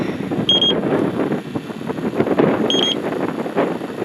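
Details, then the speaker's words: Electronic refrigerant leak detector checking a Jeep XJ R12 AC system after desensitizing: two short high beep bursts a couple of seconds apart; erratic alarming, possibly a loose black probe hose, indicated leak then gone. "Sometimes if this black hose that's on the end of this thing isn't tight, it'll act spastic like the other one. There was a leak behind here, or it was indicating a leak."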